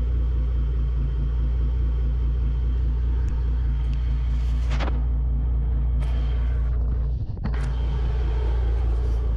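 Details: Twin 2006 Mercury Verado 275 outboards, about 1300–1400 hours, just fitted with new NP Boosted pencil coils: deep even low rumble at idle, steady beat, no stumbles or misses.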